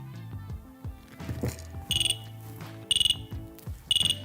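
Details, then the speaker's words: Dräger BG ProAir closed-circuit breathing apparatus during a positive-pressure leak test (at least 10 mbar): the device read the pressure change as breathing and gave its no-oxygen warning. Short bursts of about five rapid high beeps repeat about once a second and stop after 10 seconds. "oh do you hear that the big pro air now identified my change of pressure as a breathing and gave me the no oxygen warning that will actually quiet down again after 10 seconds"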